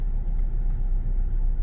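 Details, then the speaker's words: 2018 Chevy Silverado 5.3 V8 running terribly, whole truck shaking: deep, lumpy idle stumbling unevenly; dead-cylinder misfire, later traced to a torn spark plug wire, with a separate unidentified noise underneath. "like, it's really bad. Okay. So we obviously have a dead miss somewhere."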